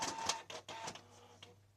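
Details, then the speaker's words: Canon G2000 inkjet printer makes a loud, harsh grinding in short bursts with a squeaky edge while printing, caused by dried-out grease on its moving parts; fixed by applying white grease. "อาการเขาคือปริ้นแล้วมีเสียงดังนะครับมาดูกันนะครับว่าดังขนาดไหนเสียงดังแบบนี้เลยครับ"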